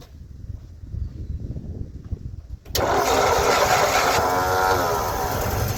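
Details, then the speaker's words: 1956 Ford truck, 45,000 original miles, idle over 40 years; after a quiet stretch the newly installed rebuilt starter spins the engine at a steady, even cranking rhythm of about three turns a second, normal starter cranking. "We've installed a new starter. And we're gonna crank it up and see if she does anything."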